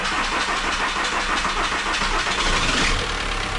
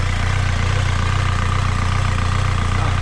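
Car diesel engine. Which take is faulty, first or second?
first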